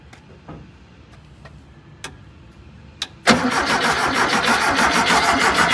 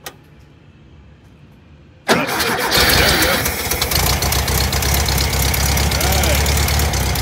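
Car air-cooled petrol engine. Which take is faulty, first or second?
first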